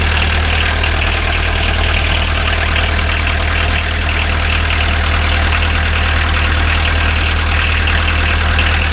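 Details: Pony motor PD4501-316 (small diesel) idling after a glow-plug-timed start from the test-run switch position: steady, even diesel beat with a deep low rumble and no knocks or misses; healthy idle.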